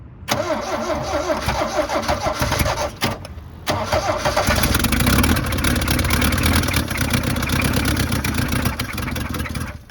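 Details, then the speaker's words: 1972 Toyota Celica with factory 18RC engine, first start after 20+ years in a junkyard, spark found intermittent: even cranking, a pause, more cranking, then it catches and runs roughly. Engine starts after long storage. "Well, there you go, guys. I'd call that a successful first start. This thing had been sitting in a junkyard for over 20 years."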